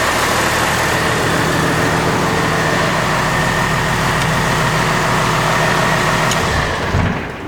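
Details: Chevy truck with swapped Cummins diesel (NV4500/NP205), first run in the shop after clutch hydraulics were done, no tach or exhaust yet, alternator not charging: steady, gruff diesel idle with even low chatter and no knocks or misses; normal idle.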